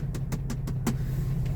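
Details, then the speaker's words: 2002 Jeep Wrangler TJ 4.0 L straight-six, about 257,000 miles, Banks turbo: worsening tick under the hood at idle, sharp even ticks about five or six a second (about 280 per minute); first blamed on a lifter, but new lifters didn't cure it, and it was a broken piston skirt. "My Old Faithful and I have a worsening tick coming from underneath the hood and I don't know whether to start up top or go down below let's see if we can hear this on the microphone you hear that tick it's about it's about that speed"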